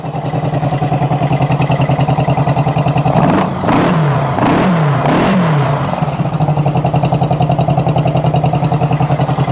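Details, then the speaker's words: Engine started cold after a month and a half unused, fuel leaking: choppy, puffing idle at roughly 200 pulses a minute with a quick rev; sharp chuffing from a small exhaust leak. "still got a little bit of an exhaust leak can't really do much about that right"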